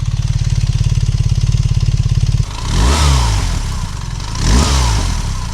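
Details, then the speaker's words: 2025 BMW R1300RS Performance boxer twin at tickover during a test ride stop: even, lumpy idle at about three and a half beats a second, then two clean blips rising and falling smoothly; healthy engine. "Kind of sounds all right, doesn't it?"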